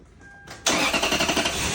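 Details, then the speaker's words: 2002 Lexus LS430 started with the accessory belt removed (alternator not driven): cranks and settles into a smooth even idle, much quieter, without the usual whining, whistling alternator noise. "Now it is much quieter, much quieter."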